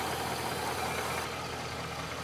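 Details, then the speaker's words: 2006 Chevrolet Silverado Z71 aluminum-block V8, reported for a clunk when stopping and a noise under hard acceleration, idling partly warm: steady, even idle with no knocks or misses over a busy background; nothing alarming heard. Normal idle. "so all right well that idle I'm not hearing anything too alarming"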